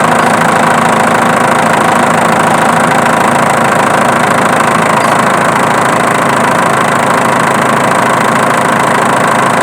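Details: Diesel engine at steady idle with a light, regular click a little over twice a second; a camera search found the noise came from the alternator, not the injection pump.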